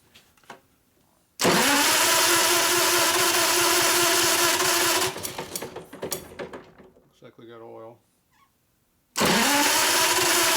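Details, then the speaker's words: 640cc stroker Harley Sportster single nitro race motor on the stand, cranking: long harsh bursts with a sharp snapping "zap zap zap" spark over the starter, and oil pressure holding good; the ignition fires normally. "you can hear the spark going zap zap zap"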